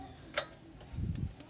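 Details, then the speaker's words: Older Honda Supra motorcycle with battery, fuse and button tested good: one sharp click on pressing start and no cranking, because the aftermarket replacement starter solenoid (relay) has failed and passes no current. "Jadi aliran listriknya terhenti di sini, tidak bisa mengalir ke sana karena solenoid starter rusak."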